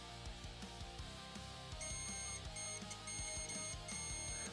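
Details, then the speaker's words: Short-finder tester on a hair-removal machine circuit board gives high, steady beeps in broken bursts over background music after plastic was trimmed; a short is still present. "God [ __ ] damn it. There is still a short."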